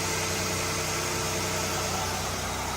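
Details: Ford Taurus, unused for 7 years, after alternator replacement and charging at 14.5 V: steady, even idle with a smooth engine hum and a faint belt whir, no misses or knocks; normal idle.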